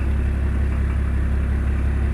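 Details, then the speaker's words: Range Rover P38 diesel with no power after injection pump timing adjustments; idle was 600 against a target of about 750, and an air bubble was seen. It holds a flat idle with no rise in revs at full throttle. "Absolutely nothing on throttle. We've got nothing on the throttle again. You can put the throttle to the floor and you get no increase in revs."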